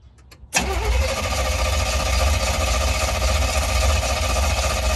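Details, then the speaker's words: Small-block Chevy swapped Jaguar XJ6, sat about a week: engine churns over at a steady rapid beat for several seconds but never catches; crank no start, owner suspects lost fuel prime, later tries priming fluid. "i wonder if it lost fuel prime okay now try it"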